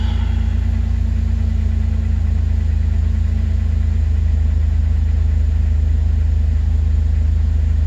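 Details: 2006 Jeep Wrangler TJ 4.0 idling right after restart following oil pump drive assembly and camshaft position sensor replacement and clearing P0016; steady, even low idle with smooth rumble, no misfire, stumble or ticking; engine sounds healthy.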